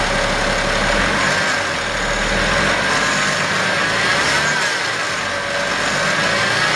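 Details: 2011 BMW X5 35d diesel idling evenly with a thin wavering whir riding over it, from a bad idler pulley, pointing to a worn bearing.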